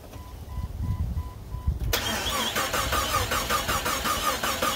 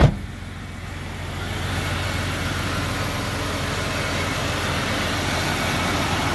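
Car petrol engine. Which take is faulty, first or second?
first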